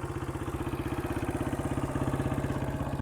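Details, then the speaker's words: 2003 Honda CRF150 after replacing the plugged pilot jet and cleaning the carb, choke off, warmed up after a short ride: steady even single-cylinder idle with no stumbling or hunting; idling perfectly. "After we took it down the road here for a second, you can hear it, it's just idling perfect."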